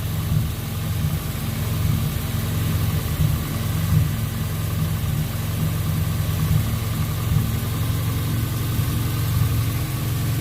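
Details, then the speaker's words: Car after its injectors were cleaned and flow-tested, previously idling near 3,000 rpm with a lean spike: a smooth, even, steady idle with no misses or stumbles; the injectors were the suspected cause of the earlier problem. "alright guys so obviously you didn't hear that noise what it was doing before so it was the objective that we're causing these problems all this time"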